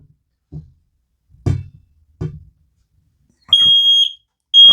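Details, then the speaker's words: X-Sense wireless interconnected smoke detector beeping within about three seconds of smoke from burning paper and cardboard in a pot below it; two long piercing high-pitched beeps after dull thumps, and the interconnected units also go off: smoke alarm sounding normally. "so it's immediately starting to beep three seconds let's go check the other ones within seconds they all start going off detecting the smoke"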